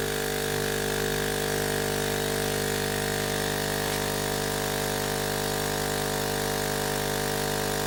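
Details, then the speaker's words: Hailea ACO-318 45 W laser air-assist pump with a length of garden hose fitted: steady, even hum with a fixed tone and the deep bass droning removed. "certainly got rid of the deep base noise that was affecting my ears"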